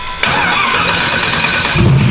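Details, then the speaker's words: Big-turbo small-block Ford, fuelled with E85, reportedly popping on startups: fires and pulls straight up to a hard, steady roar off the rev limiter with no misfire or stumble; sounds healthy. "all right shannon what are we about to do here he's about to bang it off the limiter one time hell yeah"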